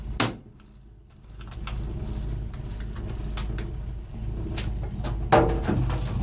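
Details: 3-year-old Burnham Alpine ALP150W gas-fired boiler running: low steady rumble with irregular light ticks and a couple of knocks; abnormal rumbling, cause unknown.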